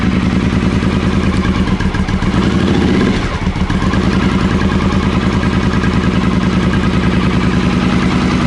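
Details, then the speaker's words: Triumph Speedmaster first start after carbs refitted, choke pulled: even loping twin beat with one brief dip then steady, no clatter or misfire; healthy idle as it warms. "Sounds okay. Is that the choke fully in now?"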